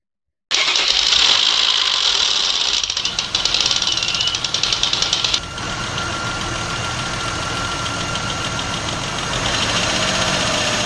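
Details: Idling petrol car engine with a light, fast metallic ticking on top, about four taps a second, from the engine valves (valve train ticking).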